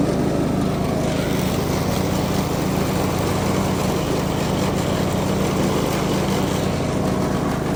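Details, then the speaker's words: Craftsman DLS 3500 riding mower, test run after fixing the deck pulley and belt. A steady engine drone with a smooth low beat and no squeal or slapping; it sounds much better. The mandrels are not loud. "I don't know if you can tell but that sounds a whole lot better sounds like a"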